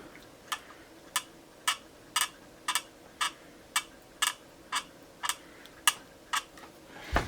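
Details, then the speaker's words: Two-year-old Cry Baby wah pedal rocked back and forth: sharp squeaks about twice a second, one per rock, needing lubrication. "like somebody's on a squeaky bed um and I was sitting there last late last night with my headphones on uh playing along with a loop and and trying to get sort of funky with the wall and even with the headphones I could hear this it was just driving me nuts"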